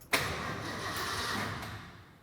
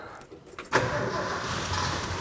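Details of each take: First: 1972 Ford F-100 V8, sat about 10 years, first crank after fitting a battery: about two seconds of brisk, even starter cranking that spins freely but never fires; engine turns fine but no fuel yet. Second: 1972 Ford F-100 V8, sat about 10 years, after clearing a fuel blockage on the tank side: catches after a short crank and settles into a steady, even run with no knocks or misses; timing and idle still to be set.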